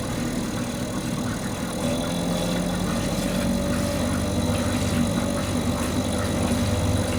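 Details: Mercury 2.5 hp two-stroke outboard that sits for long periods and wouldn't stay running, now running after carburetor troubleshooting: steady, even buzz with no misses, surging or stumbling, holding at various RPMs; normal running.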